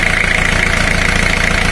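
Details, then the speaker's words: Four-cylinder diesel started for a cylinder power balance test: even clatter at a steady fast idle, regular firing with no missed beats, healthy before any cylinder is cut. "now the engine is started it's running at first idle"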